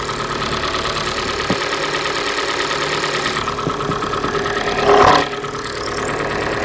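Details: Hyundai G4NA engine at idle: dull, uneven knock over rough mechanical clatter; teardown found scoring in cylinder 3, piston slap from scored walls; engine to be resleeved in a major overhaul.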